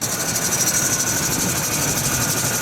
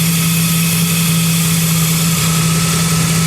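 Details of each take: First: Engine running with a constant shrill, pulsing squeal riding high above the motor from a slipping serpentine belt, a problem the owner has had for a few years. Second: Engine idling after serpentine belt squeal fix, belt treated with chain wax, no fan running; steady even idle, smooth hum, no chirp or squeal from the accessory drive, quiet normal idle.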